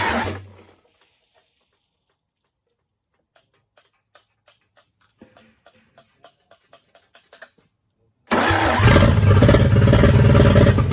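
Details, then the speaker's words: GMC 270 six, rusty, water-damaged, first start in 20+ years, after adjusting ignition timing because it wouldn't stay running: a few clicks, then it runs steadily for seconds with no knocks or rattles; oil pressure confirmed. "well she ran there for a bit doesn't sound too bad no noises or anything"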